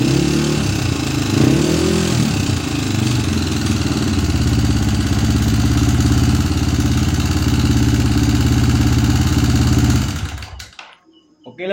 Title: penyebab suara kasar pd honda CRF 150